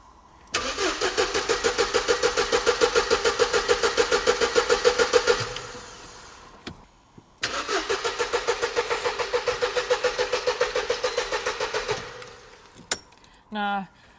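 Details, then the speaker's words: Mercedes SLK non-runner being cranked: two cranking attempts with an even beat around three and a half per second, never fires; a relay clicks but no fuel pump prime is heard, suggesting a fuel pump relay fault. "AB, but I still didn't hear the fuel pump priming."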